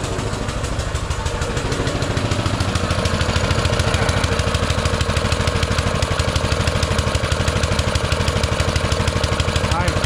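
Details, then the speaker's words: Baja Motorsports Baja Warrior mini bike, single-cylinder with small Japanese-made carburetor, just started: revs fast and steady at about three pulses a second, idling too high on choke; the owner fears taking the choke off will make it rev higher and says it needs addressing. "that runs good it's idled way too high cuz when you try to take the choke off I'm scared it's going to go too high and do something stupid so I need to address that"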